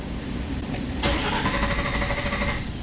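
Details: Nissan Xterra with code P0336: starter whirs steadily and turns the engine over but it never catches; crank no start from a failed crankshaft position sensor.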